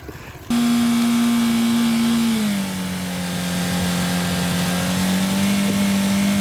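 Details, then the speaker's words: Renault Clio engine run with no oil and no coolant, bolts dropped in, then held at 5,000 rpm for over 5 minutes until it locked up: hard steady high-rev drone sagging in pitch then creeping back, oil starvation heading for seizure. "Then it took keeping it at 5,000 RPM for 5 minutes to lock it up. So the engine's well and truly done."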